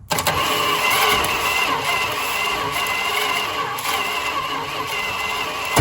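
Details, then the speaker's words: 1974 Dodge Monaco 440 police engine, sat broken for years, fuel line disconnected, weak intermittent spark, broken EGR valve: ragged uneven cranking with pops and an exhaust bang, smoke from carburetor top; won't start. "it sounds terrible it went bang out the ex exhaust it's kind of sort of smoking out the top of the carburetor none of those things are good signs"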